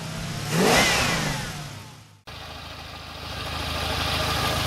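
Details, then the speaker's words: Petrol engine, valves already adjusted, spark plugs replaced, even compression, after a flush, running on petrol: a brief rev, then a rough, wavering idle. The replacement didn't help; throttle body or stepper idle valve cleaning is planned. "sam wynalazek co robiłem płukankę i jak widać nierówno chodzi teraz jest na benzynie nowego telepie wymiana się nic nie pomogła"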